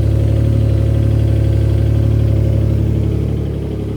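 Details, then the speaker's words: Infiniti G37 replacement engine, claimed 20,000 miles, at startup idle: loud low rumble with steady, even tapping about four beats per second, knocking from inside the engine; replacement engine judged bad. "Engine that we bought is bad. This thing is knocking on startup."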